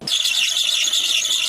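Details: Car engine with a sharp, steady high-pitched squeal holding without a break; slipping alternator belt.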